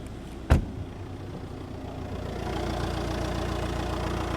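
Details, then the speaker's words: Audi 2.0 TDI BRD (owner also calls it 3.0 TDI, 170 hp), 85,000 miles, oil pump replaced 20,000 miles ago, new injectors and wiring loom, idling: steady diesel clatter with a faint metallic rattle, worst from exhaust side; source unknown. "there's there's this noise I I don't know what it is but it sounds very bad especially from the exhaust side under airport"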